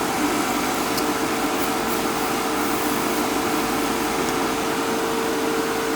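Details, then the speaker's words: Fieldpiece MR45 recovery machine after oil maintenance (previously noisy from wet refrigerant), finger held over the inlet; even, steady motor hum with constant mid tone, no knocking or rattle, pulls down smoothly. "You watch this, I'll put my finger over the inlet. Sucking right on down."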